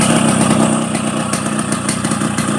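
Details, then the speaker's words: 30-year-old Yamaha RX King 135 two-stroke after a light restoration, running a freshly refitted stock exhaust that sounds tinny: a steady, crisp ring-ding idle with an even beat and no stumbling. A healthy two-stroke at idle. "Inilah suara motor legend."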